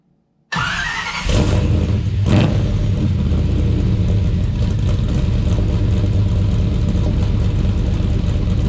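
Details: Blueprint Engines 377 stroker V8 (BP383CT1) with Holley Sniper in a truck: quick crank, instant catch, then loud deep steady lumpy idle with no knocks or misses; runs healthy.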